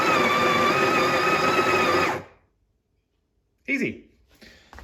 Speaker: so once this thing is sitting in place just give a very brief push forward and feel the coffee grinds itself to the right amount